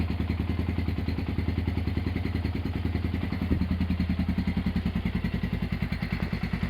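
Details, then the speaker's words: Honda GL100 (GLK 100) engine from Palembang after restoration, with CDI installed, a new tensioner blade and idle raised: an even single-cylinder thump of about three and a half beats a second, no clatter. Smooth, healthy idle. "Oke, itu dia hasil E peremajaan mesin Honda GL 100 CDA ya dari Palembang."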